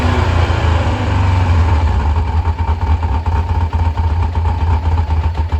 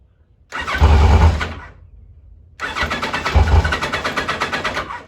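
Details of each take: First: 1986 Kawasaki Concours ZG1000 idling after its carbs were reinstalled. It blows a little smoke and the owner is unsure whether it runs rich or burns oil. Steady, low, even idle with no knocks or misses; normal idle. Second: 1986 Kawasaki Concours ZG1000 four-cylinder, choke freed, nearly a quart low on oil, started on spray: two short bursts of uneven firing that die within a second; it runs only on the starting spray, likely because the carburettors are clogged.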